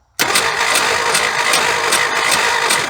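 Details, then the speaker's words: 1976 Ford F150 abandoned 30+ years: steady starter whir, even cranking about three seconds, no firing; spark tester shows no spark, cause unknown. "no sir we have have no Sparky spark so I do not know what's going on not near clue why we ain't getting on far"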